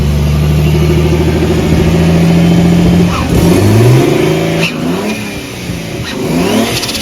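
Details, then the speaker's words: Big-turbo Nissan R32 Skyline on an untuned, self-adjusted basemap, warming up, stationary free revs: revs climb with a stumble before pulling through, sharp pops and bangs on overrun; hesitation and popping from the untuned map. "obviously uh idle's pretty okay revs with a hesitation but once it's up there it sounds nice a lot of pops and bangs it's definitely not tuned"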